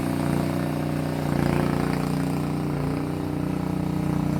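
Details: Small single-cylinder Honda pressure-washer engine temporarily fitted in a Bobcat 440B skid loader to test drives; runs only at full throttle, a steady, even drone of about 200 beats a minute. Running smoothly.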